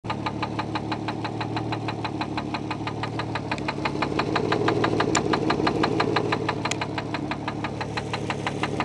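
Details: Infiniti J30t 3.0 V6 idling: sharp, steady knock, several a second, rod knock.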